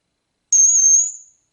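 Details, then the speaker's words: Marshall amp, presence on 10; steady piercing very high fixed-pitch whistle under a second then fading; high-pitched squeal, suspected oscillation, cause unconfirmed. "Yeah, it sounds like some kind of oscillation to me."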